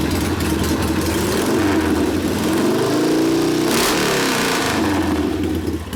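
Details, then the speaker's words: Rebuilt 1972 Harley Sportster XLCH Ironhead after case repair, restarted with air cleaner refitted, good oil pressure: loud steady lumpy V-twin idle, about four pulses a second, one brief blip, slightly fast but even; idle to be lowered after break-in; normal idle. "we got the carburetor Josh did idle speeds a little bit high obviously a slightly but you can bring that down once you get to write off the motor"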